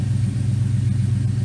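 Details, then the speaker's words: 1979 Firebird Esprit, 5.3 V8 swap with Powerglide, shorty headers, straight 2.25in duals, cold idle at about 30°C with O2 sensor not installed and open loop disabled; even low burble, no misses or knocks, good vacuum, idle spot on. "and it should run a little bit richer good vacuum idle seems pretty spot on as it heats up"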